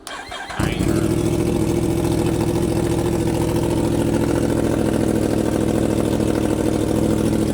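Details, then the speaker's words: 2025 Yamaha R1 after spark plug and air filter change: fires after brief crank, settles into smooth, even run with no knocks or misses; sounds better and cleaner, normal idle. "The bike looks good, sounds good, running good. It definitely sounds a lot better. Sounds like it's running cleaner."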